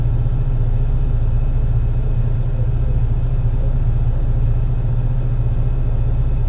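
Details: MAN NL202 CNG bus with ZF Ecomat 5-speed automatic, climbing hills: heavy engine droning low under load with an uneven, stumbling pulse; bad engine misfire under load, cause unknown.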